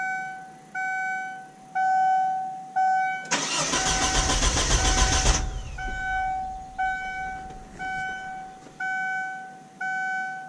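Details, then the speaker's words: 1999 Kia Sportage just after a fuel pump replacement: a warning chime pulses about once a second, then the starter cranks for about two seconds and the engine never catches. A forgotten ground wire is the suspected cause. "i'll see why it won't start but i forgot about a ground wire probably why i wouldn't start"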